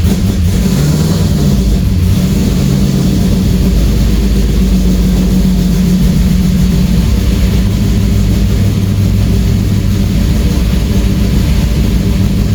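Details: Camaro V8 that had a no-start problem, after ignition work and a distributor timing adjustment, cold-blooded and warming up. Deep, even burble with a couple of throttle blips; running healthy.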